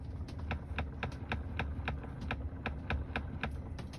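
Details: Tesla Model 3 just unlocked: a steady run of light, sharp knocks from the dashboard, about three or four a second, over a low hum, lasting several seconds.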